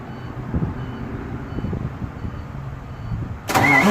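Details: International truck after a compound turbo change and exhaust pipe fix, started after sitting a few days with a possibly low battery: it catches and fires right up into a strong, even diesel roar with no misfire or stumble. Normal start.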